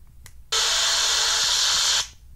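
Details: iPhone 6 Plus gives a harsh, hissy electronic buzz for about a second and a half when buttons are pressed or the charger is plugged in, then cuts off; buzzing noise from phone.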